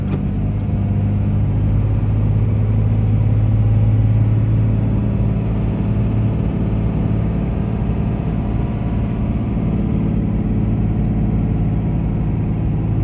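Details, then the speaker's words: 2004 Dodge Ram 2500 4x4 quad cab, 5.9 Cummins diesel, 36k miles, fully serviced, automatic; deep steady drone pulling uphill on test drive, no slipping, flare or hard shifts; engine and transmission healthy. "we'll head up the hills so we can hear the 59 cing run well as the automatic transmission go through the gears so you can hear for yourself how it doesn't slip shift hard or have any problems at"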